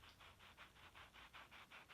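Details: Shimano Hollowtech II bottom bracket, after weeks of creaking from both cranks: spun by hand, the bearing gives a dry, gritty rasp pulsing about five times a second, a rough, worn bottom bracket bearing that is being replaced.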